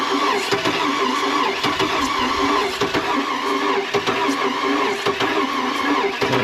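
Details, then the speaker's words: Oldsmobile Bravada crank no-start on a compression test: weak, uneven cranking beats that never catch, pressure builds but not enough; blown, worn-out engine. "It's building up some pressure, but it's not building up enough pressure."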